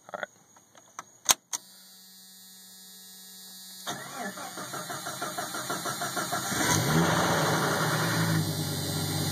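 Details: Jeep 4.0 engine cranking, catching, then idling: quick rhythmic knock-rattle tied to engine speed; source unclear.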